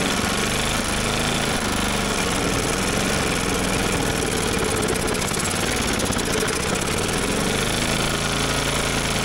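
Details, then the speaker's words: Old motorized dumper with small Briggs & Stratton-type petrol engine on fresh fuel: runs steadily with busy mechanical clatter, clutch engaging, then shuts off; runs fine when fuelled, a fuel delivery or carburetor problem. "it sounds like it runs pretty good when it's got fuel it's just a fuel delivery issue"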